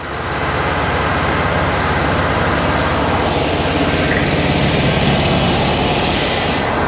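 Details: Stock 1600cc VW Mexican Beetle N.O.S. long block, hydraulic lifters, newly supercharged, first fire-up on engine stand during cam break-in: steady even high idle set to 2100 rpm, smooth beat, no knocks or rattles; healthy.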